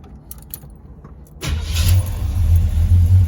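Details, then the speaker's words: Chevrolet Monte Carlo V8, which runs well now while its wiring is being finished: a healthy cold start, with a few cranks before it catches quickly and settles into a steady, even low rumble. "But she runs so well now, man. Wow. I love it, y'all."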